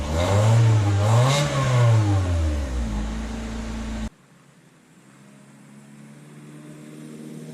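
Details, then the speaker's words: 2000 Honda Civic with eBay header, test pipe (cat removed), OE piping and muffler, resonator installed in reverse direction: revs rise and fall with a coarse, buzzy rasp in the exhaust note; still raspy under throttle. "you can still hear some of that raspiness with it installed in the reverse direction"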